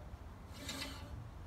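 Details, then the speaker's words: Scott Bonnar Model 45 reel mower during cutting reel install and setting, reel spun while adjusting a quarter turn at a time; soft, even rasp as the reel just nicks the top of the bedknife. Correct light contact. "can hear that the real sounds like it's just nicking the top of the bed knife"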